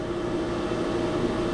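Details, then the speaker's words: Fire sprinkler system jockey pump running with a steady, even motor hum and a constant mid-pitched tone. It brings the system up to pressure so the diesel fire pump doesn't start. Normal jockey pump running. "But that little pump is bringing this up to pressure so that this big fire pump doesn't have to go on."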